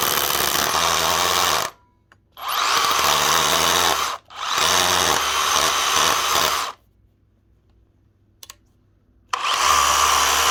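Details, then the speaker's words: DeWalt DCH333 54V/60V SDS rotary hammer runs in short bursts with hard rattling hammer action and rough grinding; drills fine pushing in, but the chuck slips when pulling the bit out of the hole. "pulling it out the Chuck is then slipping fine pushing in slip's coming out"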